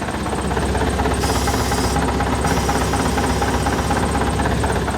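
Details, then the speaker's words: Volvo LM225 snowplow, engine running: a hiss of escaping air comes and goes at the right-side brake. The brake is not working, and rubber remnants inside the chamber show a blown brake chamber diaphragm. "It's not working. You can hear air. I'll explain that in a minute."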